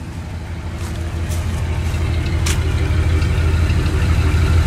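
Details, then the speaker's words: Ford wrecker V8 after Chevy HEI ignition retrofit and timing adjustment by ear: steady, even low exhaust burble at idle, smooth with no misses or pinging, much quieter than before; timing chain possibly stretched. "God Almighty boys and girls that sounds a whole lot better you can't even hear this thing run now it made that big a difference in it"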